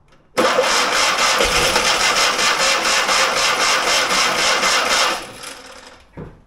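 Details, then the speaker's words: Fiat 126 barn find, stood many years: catches, runs rough and fast with uneven pulsing for about five seconds, then dies; likely running only on brake cleaner, no fuel seen in hose; cause suspected. "Fan, han startade, hörde ni? Fast han gick ju förmodligen på bromsrengöringen."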